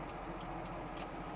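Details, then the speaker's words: 1981 Toyota Land Cruiser FJ45 pickup 4x4, cold start in neutral with the clutch in: starts right up into a quiet, steady low thrum with an even beat and no knocks or misses. Normal cold idle. "Starts right up, no issues. That engine is purring like a sewing machine, whatever you call it."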